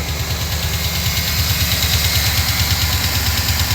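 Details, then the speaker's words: 2009 GMC Sierra 5.3 V8 after replacing all 16 AFM lifters for a collapsed lifter tick, run briefly to warm oil: steady, even idle with smooth low pulse and no lifter tick left; valvetrain healthy. "as you can see had to run a little oil through the engine you know get it warmed up a bit but the tick is gone she is running like a champ"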